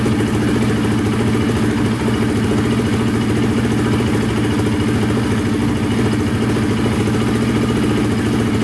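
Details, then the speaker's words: Polaris Predator 500 quad, single cylinder, repaired after wrong timing and a snapped Woodruff flywheel key: steady, even thump at a fast idle with no knocking or clatter, flywheel key intact; pipe burning off residue; running smoothly. "Alright, so far so good. Looks like it's just burning off stuff on the pipe."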